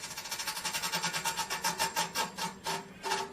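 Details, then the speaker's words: Electrolux EAF30 air fryer, switched off after heating a long time: rhythmic light scraping ticks that space out as the fan winds down. The guard screen softens and flexes when the heating element overheats, so the fan catches on it. "é essa aqui pessoal essa tela quando a resistência superaquece ela fica flexível essa tela e então ela pega na ventoinha"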